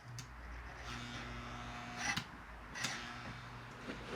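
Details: 1955 Lionel 736 Berkshire O-gauge locomotive, store find that won't run, before tear-down: faint steady low hum with a few clicks as the E-unit acts, no running rhythm; motor stalled, seized by hardened grease.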